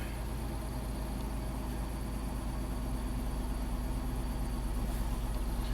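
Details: 2011 Dodge Grand Caravan, 3.6 L Pentastar V6, 146k miles, plugs recently replaced, idling while warming up: quiet idle keeps dropping a beat in a lumpy bup-bup rhythm, about three a second, a slight misfire suspected from low compression, probably cylinder 2.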